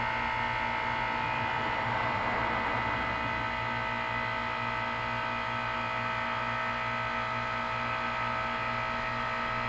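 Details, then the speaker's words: 12-year-old 2004 Carrier 10 SEER 3-ton heat pump, frozen over in winter, running its defrost cycle: even steady hum and drone with no knocks or grinding while waiting for the reversing valve whoosh, coil dripping and slightly steaming; normal defrost. "gonna hear that reversing valve whoosh any second now it's not steaming oh wait yeah this yet Steven not much but it is steaming"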